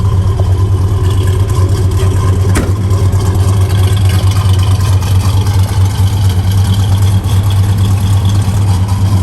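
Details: 1964 Chevelle Malibu, 350 V8 with Edelbrock 4-barrel and 4-speed manual: a deep, steady idle with an even lope and no knocks, ticks or squeals. Alternator, belts and hoses are good, and it runs normally.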